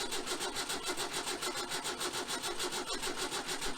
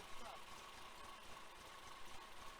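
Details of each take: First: 1966 VW Type 3 Fastback with freshly rebuilt engine, jump-started because the 6V battery is dead: steady even cranking with no firing at all; cranks but won't start, wiring suspected and later reworked. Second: 1966 VW Type 3 Fastback, freshly rebuilt larger flat-four, stock carbs, cam break-in run: quiet fairly even idle with faint steady hum and no knocking; sounds healthy, carbs still need tuning.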